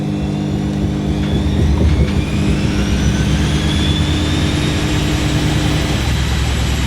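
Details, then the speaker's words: Front-loading washing machine spinning up to about 600 rpm after a 400 rpm burst: heavy low rumble and thumping with rising whine as the load bunches on one side; unbalanced load. "Oh no, stand back, it's not balanced."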